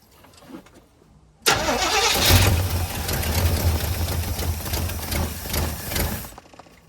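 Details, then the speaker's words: 1985 Chevy C20 sitting over 10 years: starter spins engine about three and a half turns a second for nearly five seconds without firing; crank no start, no fuel reaching carburetor, owner suspects it needs priming. "All right, we still ain't got nothing coming up. Maybe if I turned it over for a while. It'd start working."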